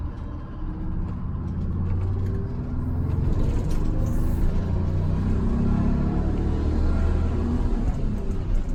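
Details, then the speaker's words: GM 4104 bus on a test drive, warm, after a transmission swap (bad bevel gear had caused a loud whine), new clutch and rear main seal. Deep steady drivetrain rumble rising gently with road speed, no whine or grinding, about 90% quieter. "well I can tell you the ride in here is 90% quieter yeah it'd be roaring right now"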